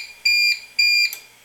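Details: APC Back-UPS 650 bench test with adjustable input voltage: raised past about 128 V AC from 123.7 V, it switches to battery for too-high input voltage. Two short, shrill beeps about half a second apart in a quiet room sound the on-battery alarm.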